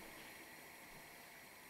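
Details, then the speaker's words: Tilley TL14 paraffin pressure table lamp, late 1930s, ran a couple of hours non-stop without problems: soft, steady, unbroken hiss with no sputter or surging; burning cleanly and normally. "and I had this going for a couple of hours non-stop last night no problems at all you listen carefully it makes a little hissing noise"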